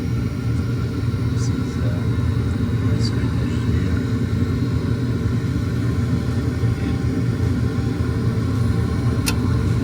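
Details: Attic gas furnace started by touching red to white thermostat wires, fan coming on after a click: steady, even low rumble from the blower, no scraping, rattling or surging; everything normal and running good.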